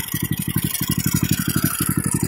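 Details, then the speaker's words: Fujijapan FJ601S 7HP tiller single-cylinder engine, throttled down while running: crisp, even firing pulses at about ten a second with no misses or rattle. Normal running at low throttle. "ga máy êm ru luôn đấy. Thấy không? Máy chuẩn là như thế."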